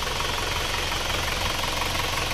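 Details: Isuzu Panther diesel at about 71°C after repair: only the sunken cylinder 4 liner was flipped, and new piston rings were fitted; blow-by is cured. Steady, even idle clatter with no knocking or irregular beats; smooth and healthy.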